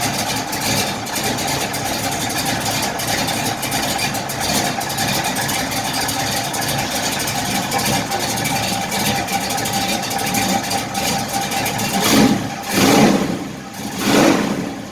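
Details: 1968 Chevrolet Impala V8 with a cammed motor, started after patting the gas twice: catches at once without long cranking and settles into a deep, steady idle with a slight choppy cam edge; sounds healthy, normal idle.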